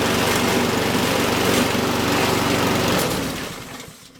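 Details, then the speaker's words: Honda walk-behind lawn mower at high engine speed, then winding down: rough, rattling buzz as the whole mower shakes violently; suspected bent or out-of-balance blade or debris underneath, vibration that can destroy the motor. "I don't know if you can tell, but it is really shaking, really shaking. So we're going to take a look underneath and see what's going on. I think there might be something bent, or the blade could be out of balance."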